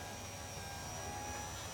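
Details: Ford Falcon FG power window after greasing the regulator cable, both pivots and the glides to cure a squeak that new door rubbers didn't fix: steady, quiet motor hum as the glass travels, no squeak or chirp. Normal power window operation.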